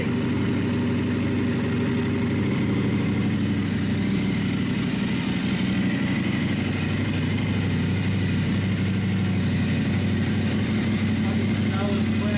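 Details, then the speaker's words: Brand new KTM 1090 Adventure R twin with new aftermarket exhaust fitted, cold start, warming up: steady, even low-pitched idle, deep exhaust note, no knocks or misses. Normal idle. "yeah that sounds real good we didn't get to hear it before we had it on but T better get wa I'll let it warm up a little bit"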